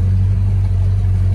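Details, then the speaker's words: 1964.5 Mustang convertible V8 during a pre-purchase inspection: deep, steady, even idle with no misses, knocks or ticks; brief lifter tapping only for three to four seconds on cold start, no smoke. "maybe three four seconds engine sounds good yeah there was no smoke on the cold start video"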